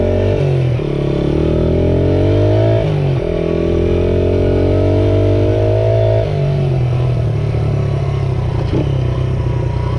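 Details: 1978 Honda XR75 single, restored, after moving the carburetor needle clip to the manual's position: revs cleanly through the gears while riding, crisp throttle, even firing, no stumble; normal running.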